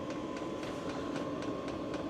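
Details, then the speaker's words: Mudiro 8 kW 12 V diesel parking heater, first start-up in a workshop: steady blower whirr growing louder with regular fuel-pump ticks about four per second, like an airplane about to take off; a normal start-up, with warm air and a hot exhaust following. "it's taking air in the back it's blowing air out of the front pumping noise is getting louder and louder actually sounds like it's an airplane going to take up"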